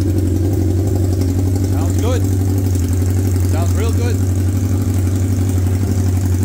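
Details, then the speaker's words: 1979 Honda CB750 F Super Sport four-cylinder first start, rusted exhaust cut off: loud, raw, deep unmuffled bark at idle with uneven beat; running with open cut-off pipes. "oh yeah I got no exhaust on it because you can see the exhaust is rusted out so so I just cut the pipes off and see if I can get some pipes to match oh yeah [Music]"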